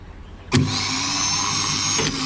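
Sharp engagement then a steady high-pitched whirr holding one even pitch with no grinding or ticking; starter spinning freely as it should.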